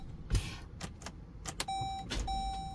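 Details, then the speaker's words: Dodge Durango no-start with a new battery not taking a charge while the charging system works: scattered single clicks on each key turn with no cranking and a door chime beeping; weak battery suspected. "One, that the charging system is working because you obviously was living off the alternator, and two, the battery's simply not taking a charge."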